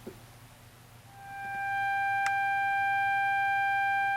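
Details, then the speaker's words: Fender Hot Rod Deluxe tube amp, sine test tone at the speaker output: harsh, buzzy, heavily clipped audio with low output, from a bad resistor in the 12AX7 phase inverter circuit; new 6L6 tubes didn't help. "so you can see it's extremely clipped and distorted which is usually an indication of a problem with the inverter tube"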